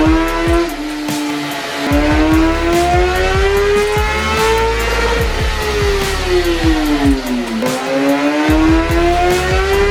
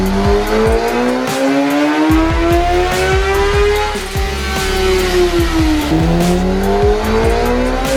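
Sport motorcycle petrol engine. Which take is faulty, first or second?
first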